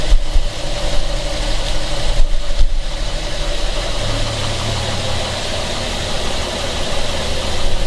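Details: 1975 Plymouth Duster with a throttle that frequently sticks, at warm idle: a dull, deep knock repeats at engine speed under a steady low rumble, a worn rod bearing knocking.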